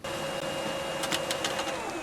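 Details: Old thermal-printing Brother fax machine, unused about 7 years and recently repaired, printing a sent page: steady motor hum with faint high tone and a short run of quick clicks as the page feeds; working normally.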